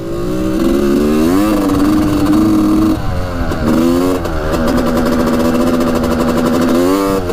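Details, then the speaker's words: 1986 Honda CR250 two-stroke on first ride after case repair, still warming up on choke: revs rise slowly and sound flat, boggy; later found running lean, spark plug loose in its hole. "sounds a little boggy so all right still warming her up here"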